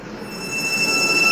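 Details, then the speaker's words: INVT CHF100A VFD with parameter P0.14 carrier frequency set to 1 (lowest): motor gives a loud high switching whine over hiss. Raising it to 8 and higher quiets the motor noise but makes the VFD run hotter. "ये देखें मोटर की काफ़ी ज़्यादा आवाज़ है। अभी मैं इसको 8 कर देता हूँ।"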